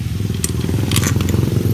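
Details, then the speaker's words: Scooter CVT after servicing and reassembly, with a steady low engine rumble, even beat and only a few light clicks, no grinding or growl from the belt drive; normal CVT operation. "Nah, sudah halus."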